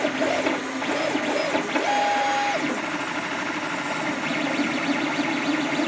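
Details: Creatr HS 3D printer running with busy stepper tones, gliding pitches and uneven rattling chatter, strange noises during printing; print bed also not level.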